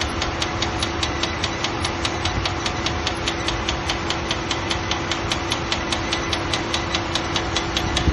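Fast, even ticking around two per second over a steady idle, sharp and clear above the engine hum; a new tick in the engine bay.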